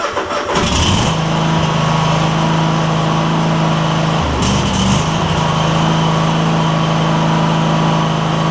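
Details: Cub Cadet GT1554 with a 2006 27 hp Kohler Courage V-twin after new ignition coils and belts, blade not engaged: steady, even V-twin drone with one short throttle blip and a clean, unbroken note; normal running.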